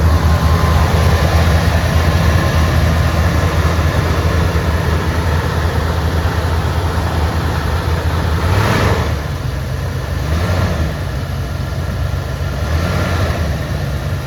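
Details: 1976 Ford F150 Ranger XLT V8 cold idle after stone-cold choke start: deep even burble, slight wavering as it warms; healthy.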